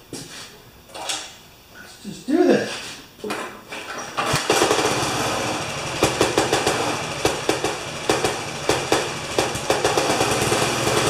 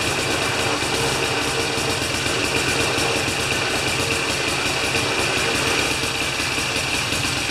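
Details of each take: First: Older Briggs & Stratton lawn mower after new spark plug and tightening the engine to the housing base: heavy uneven knocks about three a second while running; owner hopes a loose blade, fears terminal. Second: Older Briggs & Stratton mower after a half-turn adjustment: steady, even small-engine drone with rapid uniform firing beat and no misses or knocks; normal running.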